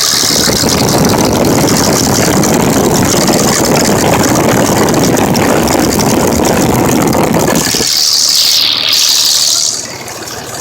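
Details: 2005 Dodge Cummins diesel with cracked injector leaking fuel into oil, blowing white and black smoke: loud rough idle with an uneven stumble about three times a second before going quiet. Injector misfire.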